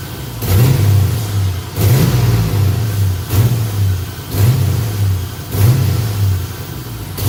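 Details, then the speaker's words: Nissan 240SX with 5.3 V8 swap, throttle held steady at about 25 percent: revs swell and fall away about every second and a half, surging and nearly dying; cause unknown. "so you can see what it's doing it's just revving up and then it'll die out rev up die off"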